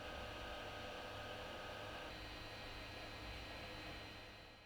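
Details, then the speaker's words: Chitu Systems FilaPartner E1 dual-zone filament dryer in quiet drying mode: steady, even fan rush with a faint high hum, no rattle or ticking; normal, healthy fan, though still loud and irritating over time. "Although the dryer has a quiet drying mode, it will still get on your nerves after a while."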